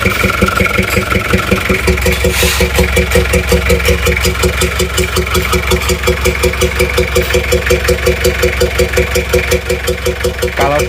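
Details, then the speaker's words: Toyota Kijang LGX diesel idling: regular hollow chuff nearly three a second at the air filter, louder with the filter removed; compression blowing back into the intake manifold from tight intake valves. "filter udaranya itu malah suara blok-blok nya itu malah semakin kencang ini seperti kompresi balik ke Puncak manifold"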